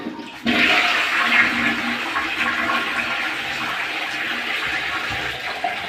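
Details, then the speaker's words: Newly installed commode with flush tank after tiling, flushed once the tank filled: strong rushing flush starts sharply and drains evenly, no gurgling or hissing. Normal flush. "अब इसका भी मैं आपके साथ share करूंगा कि ये अब देखें फ्लश टैंक भर गई, तो अब इसकी आवाज़ आना बंद होगी। अब हम कमोड का पुश करेंगे,"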